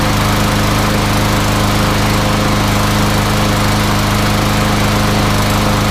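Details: MTD Yard Machines front-wheel-drive mower with newer Briggs & Stratton single-cylinder engine, after no-start repair, blade sharpened and balanced: steady even drone at constant speed, no misses or knocks.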